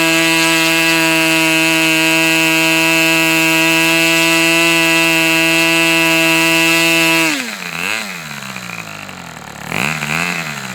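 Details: Customer's Fox twin-cylinder glow engine run outdoors: high, steady buzz holds one even pitch for seven seconds, then cuts out; firing cleanly on both cylinders, normal running.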